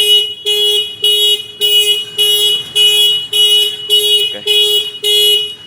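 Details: Kawasaki Ninja 250 FI two-cylinder with WDA Orange touch-sensor anti-theft alarm: ignition on without touching sensor within 5 seconds triggers loud, even warbling alarm bursts about twice a second, engine locked out from starting; anti-theft alarm triggered.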